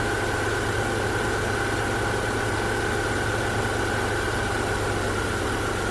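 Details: 2010-2014 Subaru Outback after alternator replacement, jump-started: smooth even idle with steady hum, no knocks or ticks; alternator charging at 14.2 V, normal idle.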